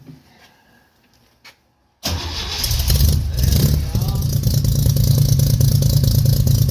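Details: 1969 Jeep Willys CJ5 spring cold start after sitting about 7 months over winter, dead battery charged and jumper cables on, choke partly in, pedal floored, gas smell; quiet, cranking then catches into loud, uneven, lumpy run; hard cold start, cause not confirmed.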